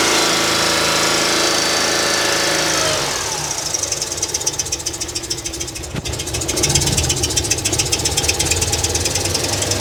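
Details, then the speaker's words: Audi A4 Cabriolet 3.0 V6: uneven, stumbling idle with irregular ticking and level dips, a cylinder dropping out; fault reported at cylinder 4 with ignition cut-outs, coils newly fitted. "araçta tekleme var Özgür"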